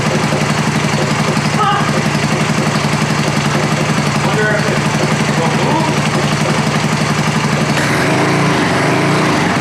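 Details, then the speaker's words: American Sportsworks Carbide 5150 go kart, GY6 150cc single, first start after replacing starter clutch (one-way bearing); fires and settles into steady, even putter around four beats a second, no misses, healthy normal running. "oh that sounds good oh my gosh it's R it perfect"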